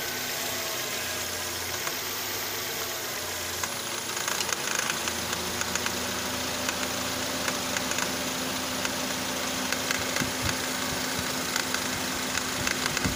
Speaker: see now that the air conditioner has been turned on, you can hear the rattling sound coming from the tensioner.